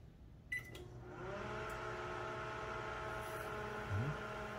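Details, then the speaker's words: Microwave running with the monitor door switch removed: a short beep, then a steady, even low hum and buzz; it cooks normally, since that switch only acts as a failsafe that blows the fuse. "Nothing will happen. It'll work just like normal."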